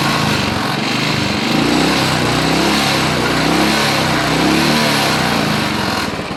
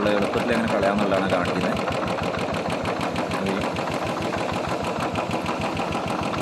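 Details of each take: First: Royal Enfield Bullet single-cylinder idling steady and even with no dropouts after rainwater was drained from the carburettor; misfire gone, starts fine, tank cleaning at a workshop advised. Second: Royal Enfield Bullet single-cylinder running after rain: lumpy thump about three beats a second with an uneven, stumbling rhythm; misfire from water in the carburettor fuel, drained from the carburettor.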